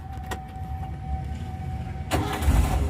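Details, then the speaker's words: 1995 Daihatsu Espass 1.3 used car: a short crank, then it catches at once and settles into a smooth, even idle with no misfire. "tegerang juga langsung nyala dan musiknya ini masih halus"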